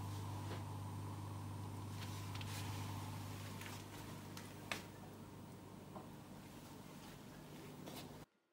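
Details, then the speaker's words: Oase Biomaster Thermo 350 aquarium canister filter after maintenance and priming: only a faint, steady low hum with a couple of soft clicks; normal quiet running. "donc la petite minute 2 vidéo qui va suivre ça sera effectivement le bruit de l'appareil en fonctionnement sous le silence le plus absolu écoutez bien"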